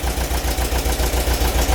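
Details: VW bus engine with hydraulic lifters, freshly rebuilt and awaiting valve adjustment: steady idle with a quick even tapping, about twelve beats in two seconds. Valvetrain tap is suspected, with adjusting the valves as the intended fix.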